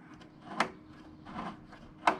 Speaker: if you twist it this way you hear that clicking should be fine because that's pushing the mower forward under power